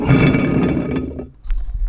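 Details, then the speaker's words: Old water pump removed from a Humvee after it failed on the road: turning the loose shaft by hand gives a rough, gravelly grinding for about a second from the worn bearing, then quiet handling thumps. "that bearing is not supposed to sound like that"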